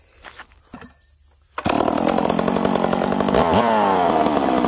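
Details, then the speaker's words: Old Stihl 038 chainsaw, warm, after leaning low-speed jet: catches at once and settles into steady idle without rpm sag; hard-start issue fixed. "look when i start it up it doesn't it's not low in rpm and then comes back up listen right on we're fixed"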